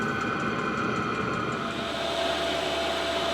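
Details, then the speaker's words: New 12V 5kW diesel air heater in a van, self-priming on start-up: steady fan rush with an even hum and whistle and the fuel pump ticking, blowing lukewarm air that builds up, with a little exhaust smoke; running normally. "it's blowing out sort of warm air at the moment it's like a lukewarm it's building up it's going up it's going up here fuel pumps ticking away"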